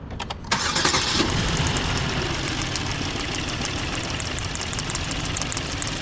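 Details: 2012 Hyundai Azera 3.0 V6 petrol after fixing P0300 random misfire: cranks, catches and settles into steady even idle, no stumble; no fault codes afterward.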